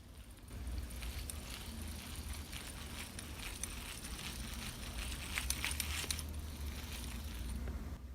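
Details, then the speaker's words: Abu Garcia Catfish Special reel, empty with no line, handle turned near the mic with volume amplified four times: faint, gritty grinding from the gears, absent on a three-year-old comparison reel. "can hear audible kind of like a grinding noise from the gears okay this noise again not present on the record rail"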